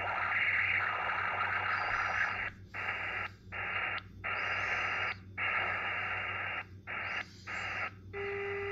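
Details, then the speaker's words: Xiegu X6100 SDR ham radio receiving with no antenna (same with dummy load), RF gain at 100%, S9 reading: steady high-pitched hiss with tones cutting in and out in short bursts; internal birdie spur tone in the receiver. "when you hear a noise like that that is definitely in the radio S9 with uh RF gains up at [Music] 100%"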